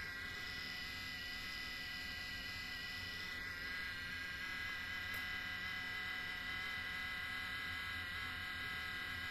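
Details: Nintendo Switch cooling fan after thousands of hours of demanding gaming: thin, steady shaver-like buzz with high whine from a dry bearing; fixed without removing the fan using a few drops of sewing machine oil.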